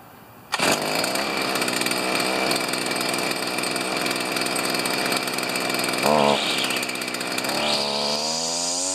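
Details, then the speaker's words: Stihl FS45 two-stroke trimmer started with one pull on choke then off choke: sharp high buzz fires straight up and holds steady with a brief throttle blip; runs cleanly. "I go one pole on choke and then off choke and away we go"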